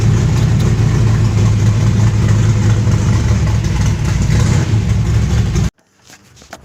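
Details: V8 with freshly installed Pertronix 512 digital ignition box, first run before setting base timing: deep, lumpy idle, steady exhaust pulse, no misses, even until switched off; timing about right.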